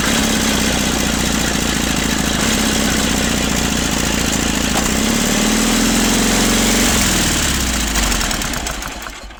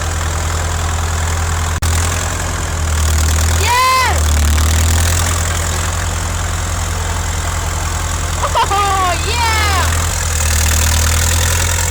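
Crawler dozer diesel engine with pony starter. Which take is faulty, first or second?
first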